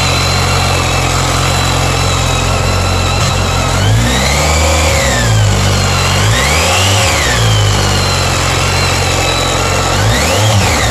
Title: BMW k1300s screechy engine noise